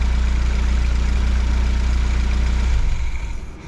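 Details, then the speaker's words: Fiat 124 Spider 2000 four-cylinder with good replacement coil, idling smoothly near 800 rpm with no misfires or popping, then shut off; old partially working coil made it die below 1100 rpm and backfire through carb. "so we're about 800 RPM which is where we want to be"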